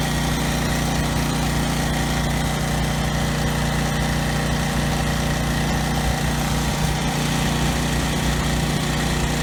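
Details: Briggs and Stratton generator engine at no load after carburetor cleaning, governor tab bent to raise rpm toward 61 Hz; steady, even single-cylinder drone with no surging or stumbling. The earlier no-load stutter is resolved, normal idle.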